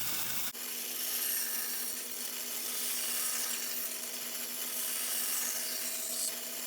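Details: Bandsaw cutting curves and relief cuts in wood: steady hissing rasp of the blade at an even pace with no knocks or blade tick; the bandsaw is cutting normally.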